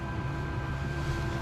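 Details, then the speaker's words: Land Rover Discovery Td5 diesel, ignition on after fuel-line copper washers were cleaned and PTFE-sealed: even, steady low electric hum of the lift pump priming and building pressure; no leaks now. "so I can hear the fuel it's obviously filled up what we've dropped out cuz that's why the pressure is built up on the noise but we got no leaks"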